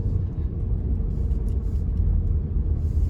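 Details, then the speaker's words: Honda Odyssey in a tight turn after replacing power steering suction and return hoses to stop air leak: only low road and engine rumble, no groan or sawing whine; power steering quiet. "Cranking around this tight turn here, you don't hear any of that loud, you know, sawing noise."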